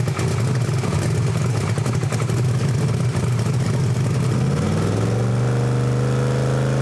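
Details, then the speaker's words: Chevrolet Camaro ("Better Half"), rebuilt engine of almost 2,000 hp, on a dyno during setup pulls: rough, loaded V8 rumble that never climbs freely, then settles to a steady drone; engine held back by dyno load, reaching only 30 mph. "All right, so that didn't do it either. So it went up to a higher mile an hour. So I think I still have to raise my mile an hour because it only made it up to 30 mile an hour."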